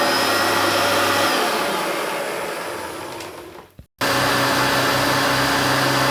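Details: Hoover Turbopower Junior U1222 upright vacuum, little-used example that had seized on its pivots, running: smooth, even motor whine with steady airflow rush, brief cut then same pitch; sounds better than the other U1222, no bearing rumble, healthy.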